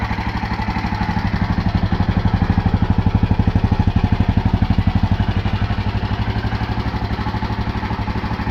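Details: LC4 single-cylinder engine: a steady thumping beat around three firings a second with a dry clatter on top. Abnormal engine noise, cause suspected but not confirmed.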